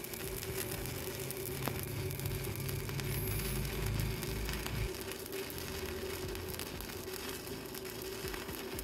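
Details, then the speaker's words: GB (Goudenbur) MMA 200 stick welder with arc force, welding a bead along plate: steady, even, crisp crackle with no pops, sputters or dropouts; stable arc, good welder performance. "coba dengarkan suaranya ya dia renyah sekali kalau yang sudah lama berkencimpung di dunia pengelasan dari suaranya saja sudah tahu ya seperti apa dari performa mesin las tersebut atau seperti apa kestabilan api tersebut"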